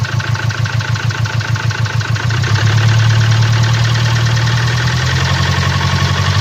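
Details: 2017 Land Rover Discovery TD4, 1999cc 110kW/150PS diesel, engine 204DTD, 175,719 km, idling: sharp, regular, steady ticking knock about three per second over the idle, caused by a defective injector.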